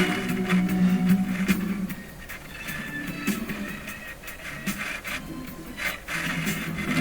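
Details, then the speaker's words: Dominion Electrohome TR50 console receiver playing a record on phono: scratchy crackles and pops as the balance and volume knobs turn; dirt in the balance and volume controls. "Dirt in the volume control too."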